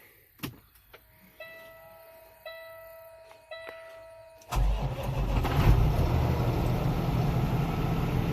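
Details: Peterbilt truck with a new Cummins diesel, started in neutral: a few dash chimes, then the diesel catches and settles to a steady, even idle with no knocks or misses; buttery-smooth; an exhaust pressure code is stored.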